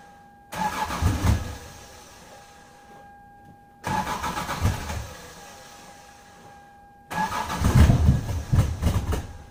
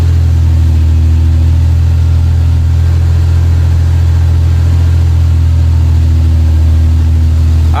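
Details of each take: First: 1996 Lexus SC300 manual, 2JZ-GE, cold start with the coolant temperature sensor under the intake manifold unplugged: three long cranking bursts failing to catch; once plugged back in it started right up. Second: 1996 Lexus SC300 manual, 2JZ-GE, after plugging a connector back in under the manifold and adding fresh gas: started on first turn with slight hesitation, then a steady low even idle without stumbles or hunting; healthy engine.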